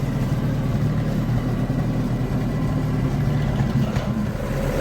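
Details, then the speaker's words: Willys-powered army 120/240V 52 A skid-mounted generator with a fast fuel pump, charging, over 50 psi oil pressure. Steady but slightly lumpy idle that keeps running only on partial choke after a slight carburetor set-screw adjustment; a lean carburetor is suspected. "i've got it haphazardly running here on a partial choke and i adjusted the set screws on the carburetor just a hair bit"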